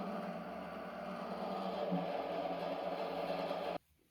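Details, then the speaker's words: Used small benchtop milling machine (about 150 kg), rusty and dirty, on its first spindle run with a thin drive belt: steady low hum and faint whir that stops cleanly; the owner isn't sure whether the sound is good or bad. "Before that, let's try turning the spindle! I don't know if this sound is good or bad, but"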